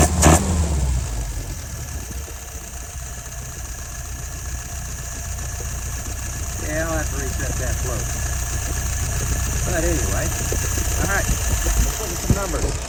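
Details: Restored, tested and adjusted YF 938SD carburetor on a 1969 engine: steady even low idle, no misses or stumbles; slight fuel drip noted; normal idle.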